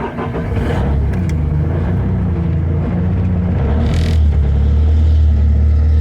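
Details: Bobcat S250 skid steer diesel cold start on a frosty morning after about 20 seconds of glow plugs, usually 10, hard starting; deep rumble settling into a loud, fairly steady cold idle, idled up slightly near the end.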